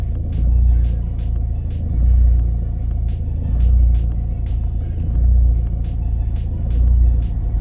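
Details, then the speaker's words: 2011 Vauxhall/Opel Astra 1.7 TDCi diesel that stalls and surges, worse when cold; during a scan-tool rail pressure test near 180 MPa the idle hunts up and down about every 1.5 seconds; suspected uncontrolled rail pressure surging. "pretty badly now it seems like he's not able to control the pressure in a rail for some reason"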